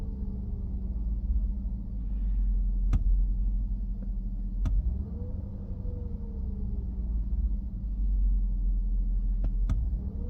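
Steady low engine rumble with an uneven, wavering beat and a few sharp clicks; the idle sounds rough, cause not yet clear.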